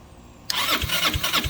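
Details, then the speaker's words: 2006 Zhejiang Kangdi 250cc kart, cranking on battery after oil added to cylinder: starter whirs with soft even thumps about three a second, no firing; weak compression on wet test, worn piston rings. "there you go Rings is a problem"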